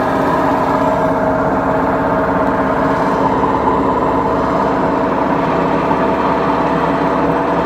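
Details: BEKO washing machine, 7 years 8 months old, with bad bearings: steady, loud rumbling roar with no letup through the spin, a washer drum with worn-out bearings.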